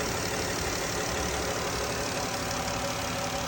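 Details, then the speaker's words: 3.6 Pentastar after replacing all 12 rocker arms and one failed lifter that had caused ticking: a smooth, steady idle hum with no top-end ticking, and the valvetrain sounds quiet and healthy. "Let's get this all back together and fire it up and see how it sounds. No more ticky"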